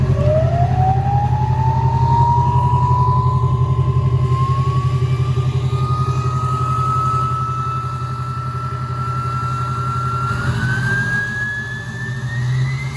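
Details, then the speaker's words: Duramax diesel pickup after a full top-end build with new heads and a Ryan's Diesel Service 9-blade turbo: steady rumble under a turbo whistle that climbs with revs then holds; smooth, even, healthy. "So fire this thing up so you guys can hear it. That Ryan's Diesel Service 9-blade."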